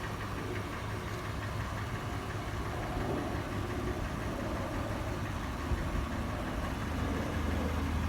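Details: Toyota FJ warm start: sharp metallic tapping about four a second, not quite even, over a steady idle. Initial clattering later turns into slower, louder, sharper knocking. It also taps on slow acceleration and when slowing from 1800 rpm; cause unclear.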